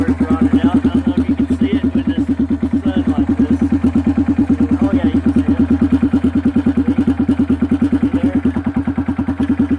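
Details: Kawasaki Bayou single-cylinder ATV before repair: steady loud popping thumps at about three a second, rasping straight out the exhaust. The muffler is rotted and holed; it will be replaced with a used Kawasaki 300 muffler.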